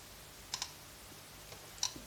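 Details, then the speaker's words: Stark IMT 200 Profi MIG/TIG/MMA inverter welder, relay desoldered after it stayed constantly closed, then fed 24 V: only a few sharp, uneven clicks in a quiet room; relay works intermittently and needs replacing. "А вона все релюхи кранти називається вона То працює то не працює не зрозуміло релюха не працює реле під заміну"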